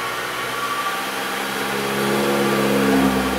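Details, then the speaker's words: 2009 Nissan Frontier four-cylinder, 101k miles, cold, idling about 1200 rpm. Under light throttle it shakes near 2000 rpm and, floored, bogs roughly instead of revving. Owner thought bad fuel; failing fuel pump or plugged exhaust are being checked. "so we bring it up slow light throttle get about almost 2,000 it starts shaking and I start giving it more throttle that's all the way to the floor"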